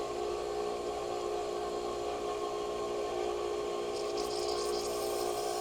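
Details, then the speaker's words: Small farm garden/yard water pump that kept losing pressure and prime, just started: steady motor hum with thin whine, then spitting and gurgling creep in; bubbling at a fitting, air leaking in at loose fittings. "It's even bubbling here, so I need to tighten that a little bit if I can."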